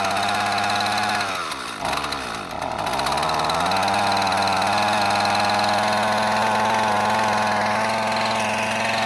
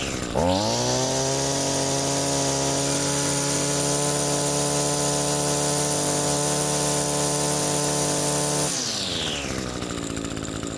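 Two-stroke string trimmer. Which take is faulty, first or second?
first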